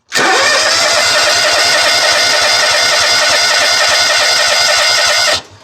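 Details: Exmark zero-turn mower with Kawasaki engine, previously cranked but wouldn't start (fuel delivery fault, not carb), after repair with choke off: catches right away, steady even fast idle about five seconds, shuts off cleanly; healthy.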